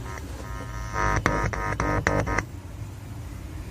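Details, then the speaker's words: Polytron powered speaker after repair of a weak, hoarse and distorted output caused by a faulty transistor: music plays full and punchy with firm beats, no crackle or hoarseness. "udah ada suaranya Udah keluar bener beda dengan tadi"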